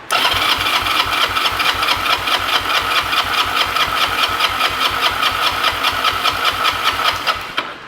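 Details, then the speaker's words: 2006 Honda Rebel 250 (CMX250C) that sat 11 years, compression test on the left cylinder, carburetor off: even starter cranking with steady compression pulses about four a second, no firing; reads 180, good. "look at that 180 in the left cylinder that's really good really impressed with that"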